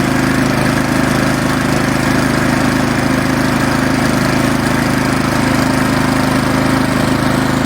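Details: Troy Bilt Storm 2410 snowblower, 179cc MTD engine, after cleaning carburetor 951-10974 that caused hunting and surging: steady, even single-cylinder beat with no hunting or surging; carburettor now running properly.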